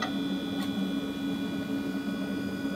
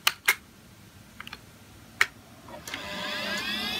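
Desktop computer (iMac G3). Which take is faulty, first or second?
first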